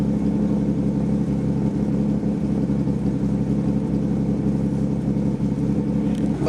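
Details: Nissan R33 Skyline with freshly rebuilt turbocharged RB30/RB25 VCT head, RB26 cams, EFR 8374 turbo, Link G4+ ECU and Autodream crank trigger, just after first startup; deep, even idle with steady low rumble, no ticking or knocking, healthy.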